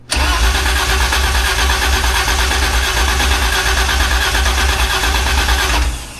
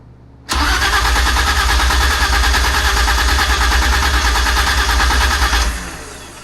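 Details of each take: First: BMW E30 project, first crank in almost two years, fuel pump audible, spark not yet enabled: steady, quick, deep cranking for six seconds without firing. Battery and starter turn the engine over well. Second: BMW E30 project cranking with spark enabled: about five seconds of steady cranking that never fires. The engine spins freely, but the check finds no fuel delivery.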